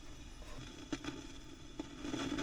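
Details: Fifty-year-old Selmer Treble & Bass 50W SV Reverb valve amp being restored. As the voltage creeps up with the bulbs dimming, faint irregular crackles and pops sound over a low hum. The bias has gone above 20 V; the cause of the crackle is not pinned down.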